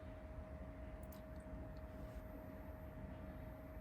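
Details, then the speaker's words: Power Mac G4 MDD after FireWire 800 and USB 2 card upgrades, phone held close at power-on: loud, steady fan rush with a mid-pitched hum and low rumble, fans ramping up, expected to quiet down after booting; normal startup noise. "So you can hear the fans ramping up. Once it boots up, it should quiet down"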